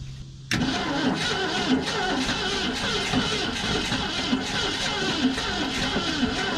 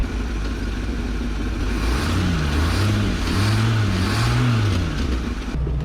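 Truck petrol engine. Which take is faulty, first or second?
first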